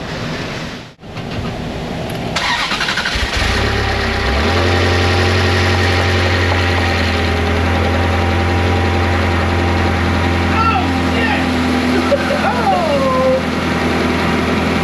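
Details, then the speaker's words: Engine started for the first time after repair work that included a rebuilt pump, with oil checked beforehand: brief starter whir, then a quick catch and a steady idle with no misses. Smoke appears only from cleaning residue; it runs. "Oh, that's pretty. He's alive. It's only smoking because I cleaned it so good. Well, it runs."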